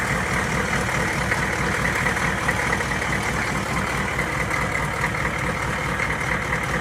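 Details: 1993 Chevrolet K3500 6.5 turbo diesel dually at warm idle, thermostat open, new radiator and low coolant sensor, no leaks: steady diesel clatter with even rhythm, no misses or odd knocks; healthy warm engine.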